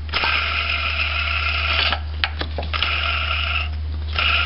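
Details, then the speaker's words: Timing belt tensioner on a non-running Ford Focus SPI being stripped for cylinder head replacement, spun by hand; gritty steady whirr rising then fading, bearing has a lot of side-to-side play; worn tensioner bearing. "maybe there we go that bearing is got a lot of side to side play yeah I listen to it when it"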